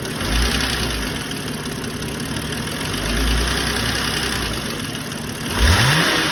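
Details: BMW 530i petrol engine idling with a sharp, rapid hard ticking over the hum, then a brief throttle blip.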